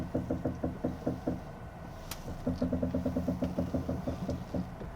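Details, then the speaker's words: First-generation Volvo S80 2.0T parked with the steering wheel turned, giving hollow knocks about three a second in bursts. Owner suspects a failed steering gearbox worm gear. "영상 에 소리 가 잘 들리는지 모르겠지만 , * 쿵쿵 * 소리 가 나 요 . 쿵쿵 . 네 , 바로 이런 소리 가 납니다 . 음 . 제 생각 엔 웜 기어 때문 인 것 같습니다 . 웜 기어 . 스티어링 기어박스 가 고장난 것 같습니다 ."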